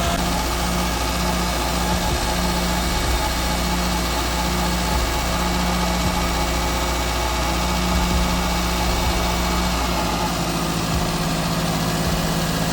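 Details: Wrecked Toyota Corolla that had been idling high and erratically and overheating: steady fast engine drone holding high with no dip or settling, unchanged after sensor checks on throttle body; high idle, throttle body sensors suspected.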